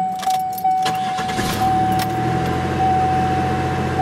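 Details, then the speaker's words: 1995 Buick Riviera GM 3800, original park/neutral switch installed after a no-crank fault: a brief starter whir, then it fires right up from the key into an even idle; normal start. "Okay, one final shot of the Buick Riviera with the original park neutral switch installed in this. From the key, fires right up."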